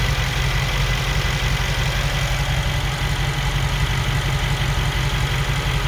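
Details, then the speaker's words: 2021 Mercedes G63 V8, 108k km, after engine repair, A/C on: steady even low idle, no pump or blower noise; normal idle. "now that's much better you don't hear the sound from the vacuum pump you don't hear the sound from the blow lower now you hear only the engine nice and steady"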